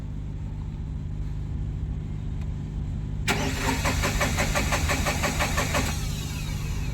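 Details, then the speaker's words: Tata Ace Gold BS6 diesel cranked with the lights on: the starter spins the engine evenly for about three seconds and it never fires; a crank no-start, traced to low fuel pump pressure. "Start करेंगे। Start नहीं हो रहा है। फिर से एक बार कोशिश करेंगे।"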